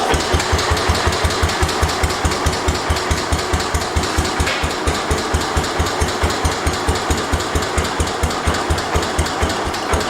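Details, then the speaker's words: 1972 Homelite T-10 tractor, cold start after mule drive fix and engine and rear-end oil change; even single-cylinder thump about two beats a second, no knocks or grinding, rear end now quieter; normal idle. "See how easy the thing starts? Rear end sounds a lot quieter. I don't hear it as much."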